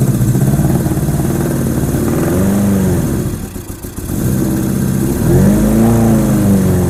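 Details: 1987 Honda GL1200 Goldwing, not started in years, cold bike in cold weather, new battery, given some throttle: catches and revs unevenly, sagging nearly to stall then picking up, smoking at first; owner suspects insufficient fuel supply, carbs need cleaning.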